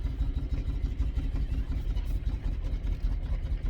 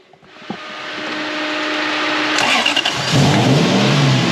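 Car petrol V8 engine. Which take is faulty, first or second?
first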